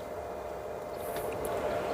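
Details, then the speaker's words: ASMOKE Essential pellet grill fan starting on its own after the battery is reconnected, before any temperature is set: steady, even whir with no rattles or scraping. The fan is healthy, but igniter error 103 appears. "As you can see, it's going on its own. All right, I haven't done anything."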